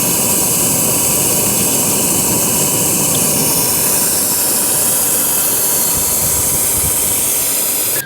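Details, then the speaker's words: Empty A/C system pressurized with shop air, listened to with an electronic stethoscope wand: steady, strong, unbroken hiss of escaping air low in the line area, locating a sizeable refrigerant line leak. "so as i put my wand down in there"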